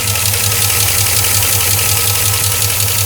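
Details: 2004 Chevrolet Silverado 5.3L V8, 59,000 miles, at idle, after 5W-30 Mobil 1 and AC Delco filter change: fast light ticking keeping pace with the engine, loud when cold; possible air leak up top, source unconfirmed.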